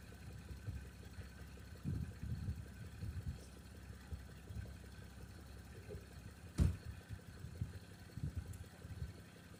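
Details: 1989 Toyota Cressida that sat for years, just revived: quiet low rumble puttering slightly unevenly but running; brief startup smoke already cleared. Normal idle.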